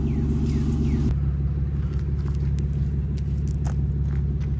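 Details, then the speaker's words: Car idling warm after an exhaust leak and crooked header bolts were fixed: deep, even idle rumble with steady pulses and no puffing or ticking from the manifold; it idles cleanly. "But, uh, yeah, everything seems to be good. Sounds great, dude. I love the sound of this."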